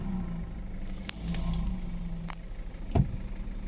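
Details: VW Audi A3 after sitting about three months, started on a jump after slow cranking from a weak battery: steady low idle hum with a few handling clicks and thumps; running fine.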